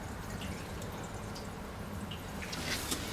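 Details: Water system after replacing a short pipe heated on with a torch, valve cracked open: steady rushing hiss of water filling the tanks with light trickles, no banging; a leak was noticed as it filled.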